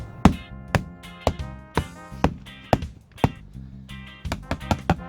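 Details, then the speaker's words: Tartan 27 sailboat, port bow fiberglass deck sounded by hand taps: about a dozen irregular taps, some dull and dead rather than ringing, over rotted wood core in the delaminated area. "There's rotted wood under here, all up here in this area, and then there's more here."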